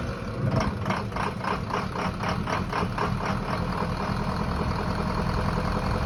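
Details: 2004 vehicle idling during fuel pressure test, also lacking power on take-off; uneven chuffing pulse about four per second that never smooths out; rough idle.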